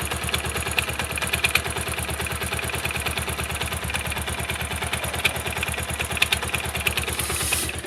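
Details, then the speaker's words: Pulsar motorcycle single-cylinder at idle, noise began after an ignition switch replacement: a light metallic rattle and ticking on each beat from the left flywheel side; caused by a worn starter one-way clutch, fixed with a new kit. "no sé si ese ruido es en la volante Pues en la cabeza de fuerza pero si definitivamente es por este lado de acá"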